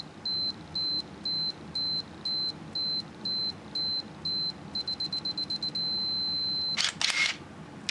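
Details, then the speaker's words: Minolta Maxxum 7000 film camera set to self-timer: steady beeps about twice a second, then quicker beeps and a held tone before the shutter clacks. Self-timer working normally. "And if I step it across to self-timer, we can see that this is working."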